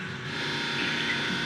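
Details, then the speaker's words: Spectra Newport 400C watermaker with a newly installed small boost pump; steady whirring hum with light mechanical chatter, even with no surging or grinding, pump running normally and has purged all bubbles. "so little pump is running and it actually pushed out all the all the bubbles there's no bubbles"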